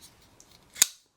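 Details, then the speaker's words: Ball-bearing folding knife pivot after flushing out Tough Glide lubricant and switching to oil: a crisp snap as the blade locks open, without the earlier loose bearing rattle; the pivot runs smooth. "I can't hear the same annoying loose bearing sound that I heard with the tough glide in it."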